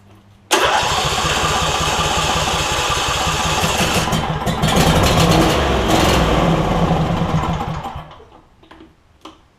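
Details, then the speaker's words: Replacement Briggs and Stratton V-twin for a John Deere E140 lawn tractor, first start with carb spray: cranks briefly, catches at once, runs a quick, fairly even beat before shutdown; possible bad ignition coil queried; normal start and run. "doesn't sound too bad I don't know if one of the ignition coils has gone bad but let's see"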